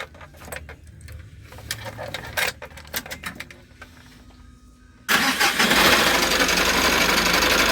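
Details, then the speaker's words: Mitsubishi L300 with 4N14 diesel, complaint of excessive engine noise: diesel fires and runs with a loud, harsh, busy clatter; belt to be removed next to tell external accessories from internal engine; loud engine noise, source not yet isolated. "So masyado siyang maingay. So una muna tanggalin muna natin yung belt para malaman natin kung saan yung problema, kung sa loob or sa labas."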